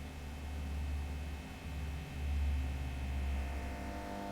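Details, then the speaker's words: VVT Lindy Fralin model amp combo: steady low buzzing mains hum with faint higher overtones, no playing, meter showing about 170 V across the first of two series HT smoothing capacitors; hum from a failed HT smoothing capacitor. "right. There's the hum. And we've got a 100 and uh well 170 volts [music] across that capacitor."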